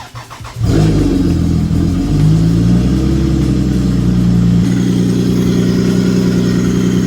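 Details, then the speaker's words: Lexus GS300 cold start with only one radiator fan spinning: engine catches after a brief crank, flares, then settles into a steady, smooth idle with no knocks or misses; normal. "I'm gonna turn on this car and see if it makes a difference."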